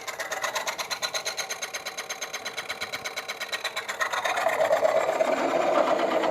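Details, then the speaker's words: Woodcut Bowlsaver coring a bowl on the lathe: steady rhythmic scraping near three per second, then a brighter tone change around five seconds, the cue to stop and check core flex; little flex yet, core close to coming out. "And when you hear that, the tone change, just come around and check. And there's a little bit of flex there, but not a great deal yet. So we're getting close to being, to that coming out."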